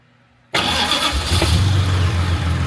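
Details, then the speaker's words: Jaguar MKII after reassembly, ignition on and fuel pumps prime, then started with carburettors not yet tuned: silence, then it catches on the first crank and settles into a strong, even, deep idle with no misfire; normal start. "Because my baby, she fires up first time."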